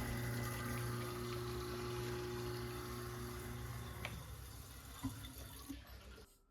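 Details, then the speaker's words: Kitchen garbage disposal after clearing a clog causing sink and dishwasher drain backup. Steady low motor hum under running water, then a clean spin-down with no clunking or clattering: normal operation. "garbage disposal is running without an issue you can hear it and there's no clunking or clattering in there"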